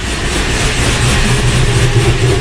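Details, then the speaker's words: Chevy LS V8 project car on its first start after sitting since Sunday, with a new starter: loud, deep, lumpy idle where one cylinder seems not to be hitting right. Suspected misfire, not confirmed. "it sounds like it's like we got a miss"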